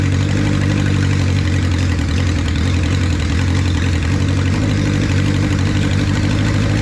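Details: 1976 Honda CB550 Four, 10,409 miles, first start after 34 years, still cold with the choke just taken off, loud pipes: smooth, even low idle with a steady beat and no misses, knocks or hunting. Normal idle with immediate throttle response.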